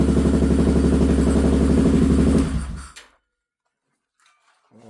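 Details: Polaris 570 buggy at first startup, radiator not hooked up, power steering disconnected, power steering and engine lights on: even, steady exhaust beat about four pulses a second for a few seconds, then a clean shutdown; runs smoothly.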